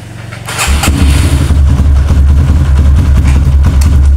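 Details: Kawasaki KLX with a new battery that drops overnight and won't crank in the morning, battery fully charged, repeated starter test: brief strong starter whir, engine catches at once into a firm steady idle; 13 starts, battery judged normal for now.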